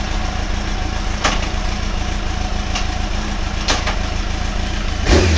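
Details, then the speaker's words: Motorcycle after clutch rebuild with old clutch refitted, new gasket seal: even idle with a clean rev blip; earlier noise gone, no clutch rattle. "I was getting a noise and there's no noise now and thought of reps on for a moment you can see in here I hope we were drawing still drawing I think we're good think we're good to go you know"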